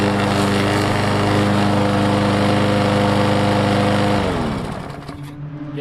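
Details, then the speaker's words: Walk-behind lawn mower running at steady even speed after replacing a blade damaged by hitting a stump; previously vibrated badly as if misfiring, now smooth with barely any vibration, then shut off and spins down. "so I don't know if you guys can tell but that is it is so much better with that and with this blade that was on here it was it was really bad"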